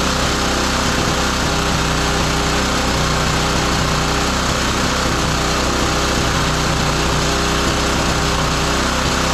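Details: Roadside-found lawn mower single-cylinder engine for a Tommy Gun minibike, first running: fast steady buzz throughout, no cutting out or surging; runs normally.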